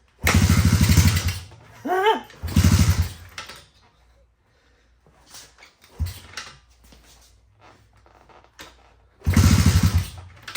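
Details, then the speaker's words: 1985 Honda ATC70 with a 125cc upgrade, first start after the build, only starting on choke: catches in short revving bursts, dies, fires again; won't stay running, owner unsure whether too much or too little fuel. "Come on now. But yeah, she just does not want to stay running."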